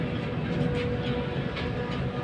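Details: Air handling unit (AHU) blower, drive-end bearing: a low, rough, uneven rumbling clatter under the blower's steady run, indicating a worn drive-end blower bearing with abnormal sound.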